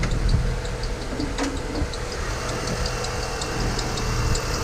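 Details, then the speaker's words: Honda Element, 161 on the odometer, running: quick high chirps repeat steadily, worse when hot and on acceleration. A brand-new aftermarket tensioner with an aftermarket belt is slipping. "Now, the tensioner in this thing is brand new. But it's just driving me nuts, and the belt is an aftermarket belt, so it doesn't help."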